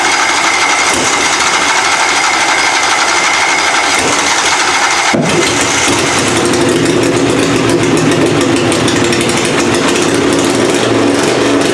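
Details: Puller engine "Plan B" after head gasket replacement and timing adjustment, first fire-up of the season: a sharp, busy note that catches and settles to a steady, even idle. The gasket seems sealed, though the carburettor still needs tweaking.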